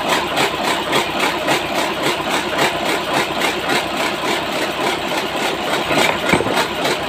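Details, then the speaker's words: Engine test-started after a piston replacement: steady idle with a regular light knock of about three or four a second from inside the engine, not from the outside part first suspected. Internal knock, cause unconfirmed. "Wah, bukan kan dari sini. Dari dalam bunyi ya."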